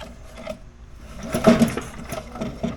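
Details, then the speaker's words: Little Wonder blower with Briggs & Stratton engine that won't blow; pulling the starter cord gives uneven rasping drags with hollow clunks inside; owner fears the crankshaft. "you can hear the clunking in there. So, I'm not quite sure what it is. I am fearing it is the uh crankshaft."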